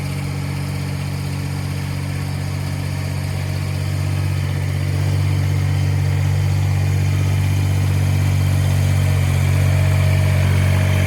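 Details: Kubota BX1850 tractor diesel, fired up right after replacing both fuel filters and bleeding air, which followed low idle and sputtering; smooth, even clatter at a steady idle, rising slightly and holding firm, no sputter or hunting; normal idle.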